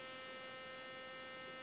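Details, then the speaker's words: Keithley Instruments model 104 wideband amplifier on the bench, powered on: steady constant hum with a thin high whine on top, pitch unchanging; owner doubts a capacitor, suspects the voltage regulator transistor. "it just steadily sits there and hums along at that mmm and it's it's somewhere I don't think it's a cap it might be this voltage regulator transistor down here"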